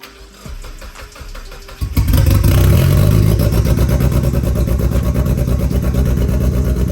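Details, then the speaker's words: Turbocharged Mazda Miata on its first start: cranks, catches near two seconds, then a loud lumpy burble that doesn't sound smooth, like a big cam; they think it just needs a tune. "and it just doesn't sound smooth. It's like, Yeah. you don't got a big cam in here or something."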